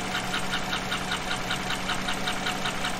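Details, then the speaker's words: 2014–2015 Chevy pickup, L83 GM V8, warm slow idle: light sharp ticks about five a second, half crank speed, over a soft hum; top-end lifter tick, not believed to be a collapsed lifter. "that is definitely a top end tick now if i was taking twice that speed it would be a bottom end tick so the speed of the tick is critical here in diagnosing where that noise is coming from"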